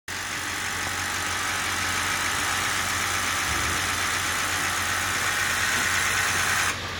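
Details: 2005 Ford F-250 6.0L diesel that won't start: starter cranks steadily at about three beats a second with a slightly odd rhythm, and the engine never catches.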